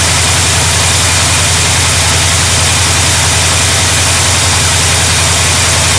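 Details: 1972 GMC Sierra Grande with newly installed replacement V8: steady, even rumble with a smooth unchanging beat, no knocks or misses; engine runs healthy.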